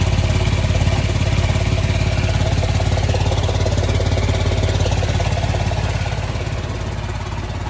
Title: Cascadia exhaust leak